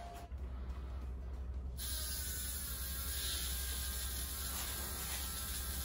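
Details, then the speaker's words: Rebuilt aluminum 5.3 turbo LS in a 2014 Dodge Grand Caravan RWD conversion, first start: uneven, stumbling idle with irregular pulses; lean misfire because the tune still had 80 lb/hr injector data with 29 lb/hr injectors fitted. "so we're getting somewhere this is really really rough looking be yeah that might do it stock ls one 29 pound per hour injectors rated at 80 pounds per hour in hp tutors i think we'll update that"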